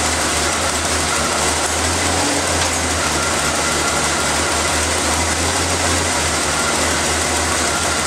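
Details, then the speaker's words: Engine started after reassembly of the valve cover, vacuum line clip, air filter and cover, to listen for air-leak hissing; steady idle under a constant low drone with no vacuum-leak hissing. Normal, settled idle. "And start it up and listen for any air leaks. You'll hear them hissing if they are leaking."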